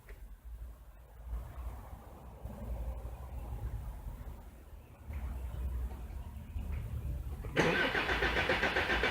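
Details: Jeep diesel with BP 36 injection pump, cranked while scoping system-voltage ripple from the alternator: several seconds of uneven cranking, suddenly catches near the end, fires briefly and stalls; cause unclear, some ripple seen.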